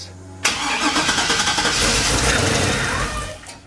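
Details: 1957 Chevy with LS swap, first start, fuel pump not on Terminator system; engine catches immediately, runs loud and ragged about three seconds, then dies instead of idling, cause unknown: starts then stalls.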